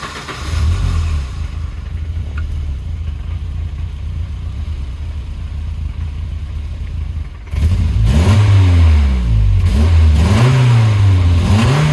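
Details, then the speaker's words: 1984 Volvo 240 petrol engine just revived after restoration, with new vacuum lines. Lumpy, rough idle near 800 rpm that jumps and pings, and the engine stalls once. It revs cleanly, and the owner plans to adjust the distributor timing. "I'm gonna have to adjust the distributor timing, because it pings a little bit and the idle's rough, but it tries to idle at 800 RPM and it jumps a little bit, but it free revs pretty well."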